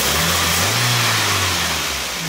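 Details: Toyota after reinstalling the cleaned original OEM throttle body part in place of an aftermarket one that caused code P0505, MAF recently cleaned; engine revs cleanly and falls back to steady idle, no hunting; normal.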